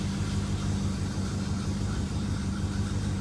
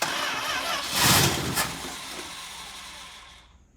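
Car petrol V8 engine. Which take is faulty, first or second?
second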